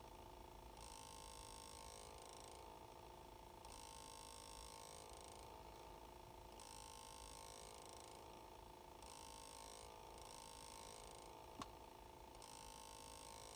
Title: 2019 Ford Escape humming noise when shut off.